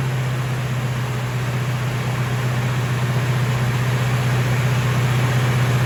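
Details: 1970 Chevelle restoration with a rebuilt 454 V8, first start-up during initial timing and tuning: an even, fast burble with no misses, but the idle sits far too high, so the engine runs on; high idle.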